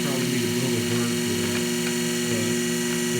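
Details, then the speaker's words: Treadmill motor driving a Gingery shaper through an added jackshaft pulley reduction, Cycletrol 150 speed control at about 40%. Steady high-pitched hum and whir at constant speed, no knocks or rubbing. Motor spins fast while the machine moves slowly: normal run. "So right now, see if you can see that, not like 40%, and the machine's moving really slowly. The motor's going very fast."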